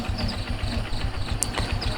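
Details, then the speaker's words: Jupiter MX New carburetor after service, idle screw just turned down so idle neither stalls nor runs too fast; small single thumping at an even, fairly quick idle rhythm with no hunting or misses. Normal idle, carb set right. "kita putar ke arah kiri di mana enaknya untuk stasionernya jangan sampai mati juga tapi jangan juga terlalu tinggi di mana yang paling pas biasanya yang suaranya tapi tidak terlalu cepat untuk stasionernya"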